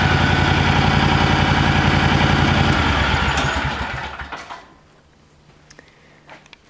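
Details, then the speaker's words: John Deere 757 mower owned since new, first start of the year after sitting since last fall on fresh gas: fires right up with a crisp, steady beat of about three or four pulses a second, runs evenly, then shuts off; normal running. "right up guys I have to say that I really have no complaints with this mall or whatsoever it's been a really good more"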